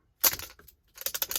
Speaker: Now the ball rattles around, and to reset it, press. No more noise.